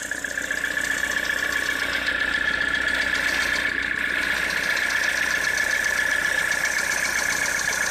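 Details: Citroën C4 2013 idling: fast, fairly even light tapping about four times a second over a steady hiss; engine knock whose cause needs checking.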